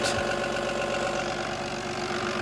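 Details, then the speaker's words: Cummins B6.7 diesel (EPA 2017, EGR, DPF, SCR) on a training bench stand, with the PTO on and idle raised to about 1,000 rpm. Holds a steady, smooth, mid-pitched hum before faults are inserted. "Now we're gonna turn on the PTO and adjust the idle speed up to about 1,000 RPM."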